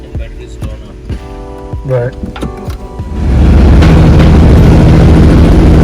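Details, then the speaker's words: Aston Martin Rapide sitting idle for 3 years, first start in the workshop with a suspect radiator: after a pause the engine catches into a loud, heavy, uneven idle; running really rough, something wrong with the engine. "right so there you have it we managed to get the engine started but as you can hear there's something terribly wrong with the engine itself it's running really really rough"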